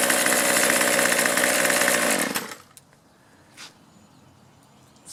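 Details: Troy-Bilt 2-cycle string trimmer that used to quit after 10–15 minutes, after fuel-system repairs and a new primer bulb, started on half choke: picks up and runs at a strong, steady high buzz for about two seconds, then cuts out. It starts and runs cleanly.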